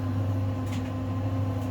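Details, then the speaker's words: 5 kg Simpson clothes dryer loaded with wet washing: steady low motor hum with soft tumble about every second; motor and capacitor strong, pulls load without strain. "So here we go. That's a strong capacitor."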